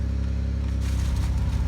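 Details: 2002 Pontiac Grand Prix running after ignition switch replacement, first drive in five years: steady, low, even idle with smooth rhythm and no knocks, ticks or squeals; engine running normally.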